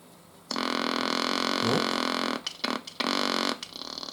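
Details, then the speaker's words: P-7 receiver build with the converter stage and antenna connected, tuned to the intermediate frequency before any alignment. A steady buzzing tone with a faint whistle comes through, then cuts in and out. Stage confirmed working. "Bueno, pues ahora solo nos falta... esto ya funciona, la etapa. Hemos comprobado que funciona."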